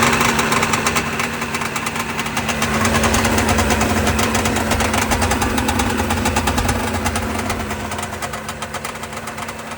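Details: Sea-Doo 587 two-stroke, first run after rebuilding the Mikuni carburettors: revs up and settles back with a crisp, even crackle and steady firing; running cleanly.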